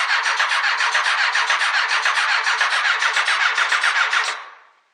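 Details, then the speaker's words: Honda CBR 929 previously seized and disassembled, after reconnecting the starter's missing positive wire from the relay; starter cranks unevenly at about three to four pulses a second, one cylinder's compression weaker than the others. "clear right here that we have one of the cylinders is weak as you can see or hear listen to this that one of the cylinders is weaker than the other"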